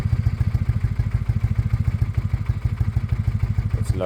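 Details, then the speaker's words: Suzuki Bandit with Blue Flame exhaust, warm idle after restoration: steady thumping idle that wavers and sags slightly; engine runs and is timed, but the owner thinks it probably needs new carbs and the air-fuel screws are messed up. "I know it's not right I know it's it's not right but um what we've shown there is that the engine's running and timed the exhaust doesn't sound terrible"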